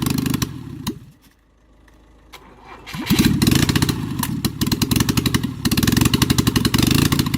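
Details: Rebuilt LADA RX engine, possibly 1.8L, new camshaft, no exhaust, only manifold. One spark plug connected, one removed; valves, carburetor, ignition unadjusted. After cranking, loud ragged popping with uneven gaps. Running on one cylinder.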